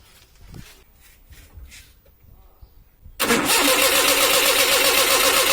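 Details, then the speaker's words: Maruti 800 that would not start on petrol, after the petrol solenoid valve was replaced: near silence, then it catches at once into a steady fast idle as petrol now flows. Normal start; fault resolved. "பார்த்தீங்கன்னா petrol வர ஆரம்பிச்சுருச்சு இப்போ நம்மளுடைய complaint வந்து resolve ஆயிட்டு"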